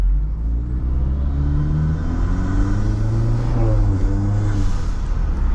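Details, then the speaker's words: Modded turbo Acura RDX after installing a high-flow cat and a resonator: a deep, smooth exhaust rumble rising and falling with revs; the raspy weed-whacker buzz is gone and the car is quieter. "But that god-awful weed whacker sound is completely gone. The car is quieter, but I don't need this car to"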